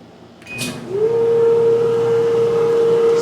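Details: 2014 Whirlpool Cabrio Platinum dryer after new roller kit, top cover reinstalled: steady smooth hum with a clean even tone, no thumping, squeal or scraping, much quieter; normal dryer running.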